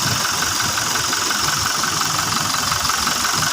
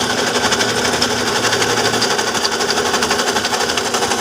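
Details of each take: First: Toyota Fortuner diesel after repair of a loud noise at the front of the engine bay (bearing and brushes replaced): steady, even idle with ordinary injector clatter and no whine or rattle from the front; the noise is gone. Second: Toyota Fortuner idling with a loud, fast mechanical clatter at the front of the engine bay, about four pulses a second, before the belt is removed; traced by spinning pulleys to a worn alternator bearing.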